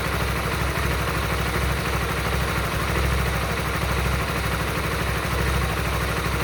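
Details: Honda Supra GTR 150 motorcycle idling with an irregular, lumpy beat and a faint rattle on top; abnormal engine noise at idle, source not pinned down, cause unconfirmed.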